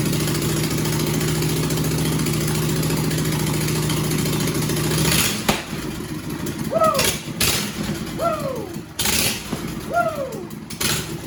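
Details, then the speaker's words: Home-built John Deere/Suzuki outboard ("Frankenstein"), run before the muffler is fitted, started on choke: harsh, loud, raw single-cylinder straight-pipe bark for five seconds, then cuts out; loud exhaust without muffler, much quieter once the muffler goes on. "We got to quiet this thing down. It's loud. I want to put the muffler on it, and then we're going to address the wiring."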